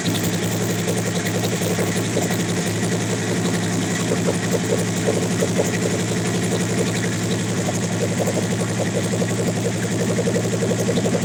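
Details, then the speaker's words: Big-turbo Suzuki TL1000R V-twin after fitting 560cc injectors, during idle tuning. Steady, even V-twin idle with a lumpy low beat and no misfires or stumbles; running smoother. "I'm about to turn it on and sure it runs a whole lot better now it is run smoother"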